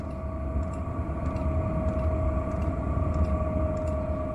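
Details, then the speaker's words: Chinese diesel heater on its lowest setting, fuel pump at 1.6 oscillations per second, drawing 0.8–1.5 A, about 200 ml/h fuel, 51–54 dB at one meter: soft, steady fan hum slowing down with faint pump ticks; normal operation at lowest setting. "we're now going to set the heater to its lowest level which is 1.6 oscillations of the fuel pump per second we'll now hear the fans slow down as the pump slows down"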